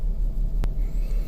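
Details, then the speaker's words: 2007 Kia Sedona V6 idling in sub-zero cold with check engine light: low, uneven idle rumble with lumpy pulses; misfire codes P0300, P0301, P0302, pending cylinders 1–3, blamed on failed cheap aftermarket ignition coil packs. "So this is telling me that the cheap coil packs I put in this van are crap, and I may have to replace those."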